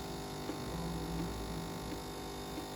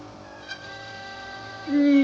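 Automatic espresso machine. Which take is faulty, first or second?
second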